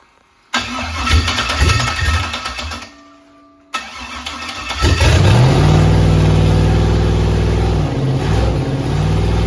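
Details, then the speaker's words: Rebuilt 5.3 LS V8 first start, Truck Norris cam, BTR beehive springs, MSD ignition box preset; stumbling first fire dies, then a sharp backfire bang before catching and revving; incorrect ignition timing. "That made me jump. Doesn't like this timing, does it?"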